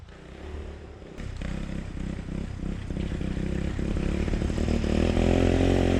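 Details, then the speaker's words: 1986 Yamaha Moto4 YFM200DX ATV on a test ride after a fuel swap and mixture adjustment: still burping and stuttering unevenly as throttle climbs, never pulling smoothly. "it's still burping pretty good it sounds like"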